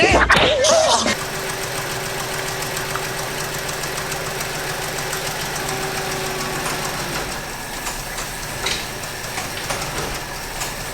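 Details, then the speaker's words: 1964 Chevy Impala, 283 V8 with Powerglide, revived after 28 years off the road: light, fairly regular lifter tick about three per second over steady idle, quieting down somewhat. "our lifter ticks even quieten down a little bit"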